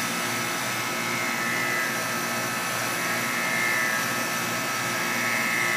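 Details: Guardian air conditioner first run after sitting a while, in cold weather: steady high buzz with faint tone over an even rushing hum at startup, stops after a while; cause unknown.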